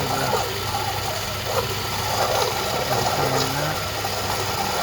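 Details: 2011 GMC Acadia 3.6L V6: a rough, gravelly grind runs steadily under the engine noise from the water pump, seen shifting from below with the passenger-side splash guard removed; first suspected tensioner pulley also has a dry bearing.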